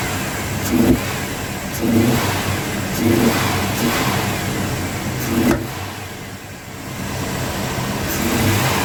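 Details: Truck, previously a crank-no-start, after new solenoids were fitted and tested: engine fires and takes sharp snap-throttle blips about a second apart, revving cleanly and settling back without misfire or knock; normal running.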